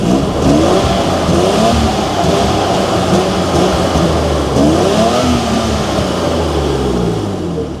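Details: BMW E32 750iL V12 after its exhaust system was refitted. It revs up and down smoothly with an even, unbroken exhaust note and no ticking, puffing or rattle: sounds healthy and leak-free.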